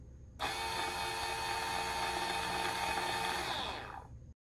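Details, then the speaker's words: Ultra Infuser on the honey setting (1 h 30 min): smooth, even high whir for about four seconds as the inner blade rotates once set temperature is reached, maintaining temperature; normal operation. "The blade only rotates to maintain the set temperature to provide a consistent infusion throughout the process."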